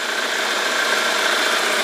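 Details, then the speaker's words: A modified 1995 Toyota Corolla Great, idling after a start, settles to a steady, even idle with a faint whistle on top. There is no tok-tok tapping or knocking of the kind that would point to worn main or rod bearings, so the engine sounds healthy. "Nah, untuk suara mesinnya masih halus ya, jadi masih aman. Nggak ada suara kayak biasanya kan kalau mobil ada suara-suara tok tok tok tok, itu bisa jadi dari metal duduk, metal jalan."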